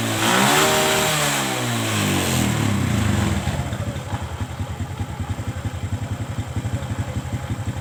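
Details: Kawasaki ZX motorcycle, stock carburetor, mixture screw set 5.5 turns out after carb adjustment for high-rpm popping and midrange hesitation: quick blip falling back to an even, steady pulsing idle with no stumbling or hunting; carburetor mixture sounds settled.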